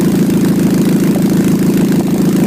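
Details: 2006 Nissan Altima at idle: a loud, rapid puffing rasp, a raw motorcycle-like putter over the engine, from an exhaust leak at the flex pipe; owner suspects a new exhaust is needed.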